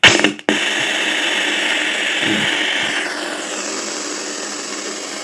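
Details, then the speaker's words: F&D 6000U sound system board in for repair: steady hiss and buzz from the speakers while the set is on standby with no signal playing; source not yet traced. "आपने ये आवाज़ सुना, set stand by में है। इसमें इसी type का sound आता है।"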